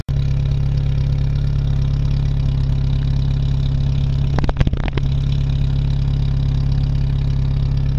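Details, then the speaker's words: Jeep YJ cold start in winter, wet with ice and snow, after being parked; it is usually hard to start after a week. Steady, even low idle at constant pitch with a brief handling rattle midway; it idles smoothly. "You seen the Jeep run, she runs, starts right up. I'm actually surprised how good she started, considering it's usually a bitch to start if it's at any more than a week."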